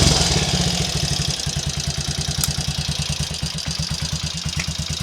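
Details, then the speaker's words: Triumph Trials Cub single after fixing previous day's misfire and stalling: settles from a quick blip into an even steady idle thump, no misses or stumbles; normal clean idle after repair. "It's all back in the land of the living now, as I'll probably demonstrate."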